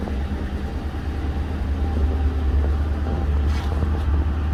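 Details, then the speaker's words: 2011 Ford Crown Victoria ex-police car V8 running after a stall from a pinched fuel line: deep steady rumble with even beat, no misses or knocks; running surprisingly good, normal. "Okay, that's what the fight. She's running surprisingly good."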